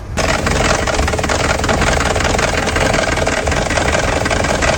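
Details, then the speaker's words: Used Kia Sportage with a replaced engine and recently renewed timing chain and sprockets, shaking badly, code P0017: loud rough idle with a hard clattering knock. The exhaust cam sprocket has slipped with large clearance; cam bearing caps and bearings are scored and there is aluminium powder in the oil pan. "故障代码呢报的是排气的这一边，这个链轮的间隙还是挺大的。像这种异响不只是链轮这么简单，还要检查一下发动机里面有没有磨损、泄压的情况。"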